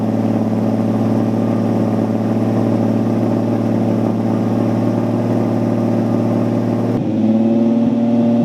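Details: Datsun Z with the newly welded exhaust fully sealed up: a steady, deep, even drone with no puffing or ticking leaks. Normal exhaust note.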